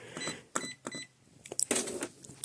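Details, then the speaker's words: Epson ET-4800 printer after complete reset, customer complaint loud clucking noise: scattered clicks, short whirs and brief motor runs in a quiet room during setup initialization; scanner works normally, though the printer then gets stuck. "It's initializing, that's what it's doing. It's completing our setup. That's the scanner. If you guys wonder what that sound is, the scanner does work."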